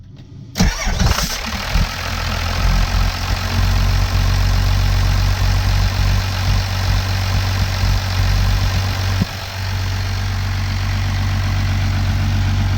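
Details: 12-valve Cummins diesel with VE pump after deleting the fuel shutoff solenoid, plug reconnected: quick crank, fires at once, then settles into a steady, even diesel clatter at idle without stumbling.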